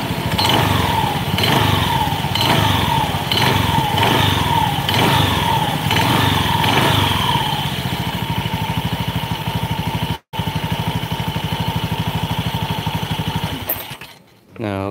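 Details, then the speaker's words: Honda Beat scooter before repair: each throttle blip brings a rattling clatter rising with revs plus a faint belt squeal; source not yet identified. "oke guys, ini teman-teman bisa dengar ada suara geludak gitu waktu digas. Di sini itu juga kedengaran suara gelak gelak gelak gelak."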